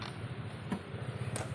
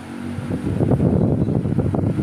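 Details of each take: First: Top Mama electric stand fan on speed one: rough uneven metallic scraping under a low motor hum; worn bushings suspected. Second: Electric fan after repair in which two worn bushings were replaced, previously noisy with scraping metal: steady low hum with no scraping or rubbing, runs smooth and quiet.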